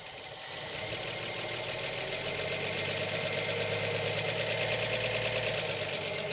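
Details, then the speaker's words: 1959 Chevy Biscayne six-cylinder, once locked up after sitting 20 years, now revived and driving in drive and reverse: old engine settles into a steady idle, a soft even patter over a light hiss with no heavy knock; runs fine. "so it does run and it does Drive and the best way to shut it off as we get out here come over here and turn off the key simple as that"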